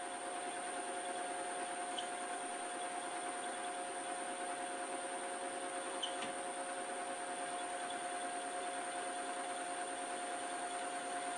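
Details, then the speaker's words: Lathe facing a rusty mystery-metal blank for a new Schaublin SV-51 variator shaft with a low-cutting-force insert and a rattly setup. A steady high-pitched chattering whine over machine hum eases slightly after more oil is applied. "It helps with this kind of equipment. It's whining. Horrible sounds. Maybe some more oil."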